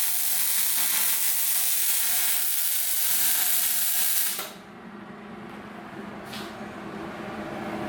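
Four seconds of steady, even frying-bacon crackle that then cuts off cleanly; consistent wire feed and good travel speed.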